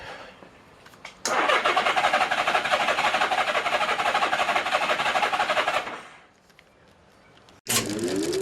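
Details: 1983 Honda GL1100 Goldwing Aspencade with reinstalled rebuilt carbs and new starter: strong, even cranking at about three turns a second for several seconds, never catching. No spark on the left cylinders, right fine.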